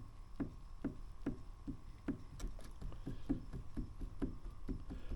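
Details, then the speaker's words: 1979 Porsche 924 strut, pushed by hand: dry, sharp clicks about twice a second with free back-and-forth movement. It has no fluid left and is worn out, so it needs replacing. "it moves back and forth it shouldn't pretty sure it didn't shouldn't do that I don't know can you hear that click click"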